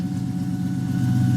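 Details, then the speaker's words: Ford Mustang SVT Cobra "Terminator", 12,000 miles, manual, bought at auction listed with an engine noise; first cold start with the clutch in: a steady, even low rumble with no ticks or misses and good oil pressure, running healthy. "So far so good. Fires right up. We got good oil pressure. Yeah. No, it runs good so far."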